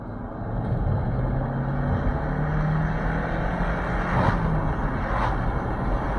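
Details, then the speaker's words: Volkswagen 1.4 TSI/FSI petrol after a worn timing chain replacement: runs normally with a steady, even low hum, no knocking, ticking or rattling, and no warning lights. "Hein, la voiture elle roule normal et tout. Il n'y a aucun voyant, il n'y a rien."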